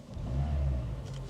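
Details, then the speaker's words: Used French car with a starting issue and a suspected catching brake backing plate: short smooth rev with a clean, even low drone and no knocks or rattles; the engine sounds healthy. "Does sound quite sweet though."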